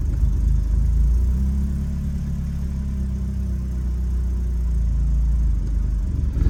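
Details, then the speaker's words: BMW E36 Compact, M4x four-cylinder, about 100,085 original miles, cold idle with no throttle just after start, no check engine light; low, uneven idle with slight irregular lope; rough idle that smooths when warm; owner blames idle control valve, AFM seems to be working. "Yeah, the idle control valve is having some trouble. The AFM seems to be working. Okay. It's definitely idling rough, and I think that's strictly from the idle control valve."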